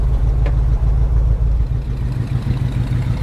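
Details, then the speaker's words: Squarebody plow truck V8 that sat for years, started on a new battery: strong, low, even burble at idle with a brief lift in revs, no knocks or misfires; runs healthy, needs an oil change. "Still running great, guys. It's silent up here, too."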